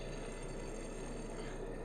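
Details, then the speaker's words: Old Powr-Kraft 6-amp router, model 8542A, bearing failure: rough, gritty rattle with a faint metallic ring as the armature is turned by hand; the worn bearing even jams, and the armature looks burned from shaft wobble. "oh it is so so very bad that bearing the armor Trigg looks burned but it doesn't god listen to that thing even jams"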